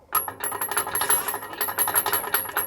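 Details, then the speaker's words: Combine engine turbocharger removed during soybean harvest after power loss and excessive smoke; spinning the shaft by hand gives a gritty metallic scrape and chatter each turn, compressor fins rubbing the housing with a large gap at top; manifold dry, no oil. "I know y'all can't tell but there's a huge gap on the top of where the fins are and they're rubbing here on the"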